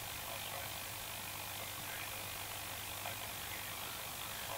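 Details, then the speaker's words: Vintage Healing L401E valve radio brought up slowly on a variac (180–220 V): steady low mains hum with rough hissy distortion, still humming despite three-pin lead, needs an earth; 6AR7 valve suspected faulty, to be replaced. "can hear the hum and it's coming in so that's at 180 220 and it's still humming pretty badly but not quite as badly so it obviously needs an Earth on it"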